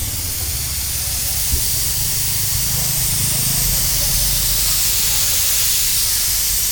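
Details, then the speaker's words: Mitsubishi Pajero on a trip, engine running: loud continuous high hiss of steam over low engine rumble; coolant venting from one side of the loosened radiator top tank. "പുള്ളി എന്തോ പറഞ്ഞ റേഡിയേറ്ററിന്റെ top complaint ആണല്ലേ? അത് കണ്ടില്ലേ അവിടെ തന്നെ നമുക്ക് top ഈ ഒരു സൈഡിൽ നിന്നാണ് വരുന്നത്. ടോപ്പ് ഇളകിയിട്ട് ആ ടോപ്പിന് വരുന്നത്."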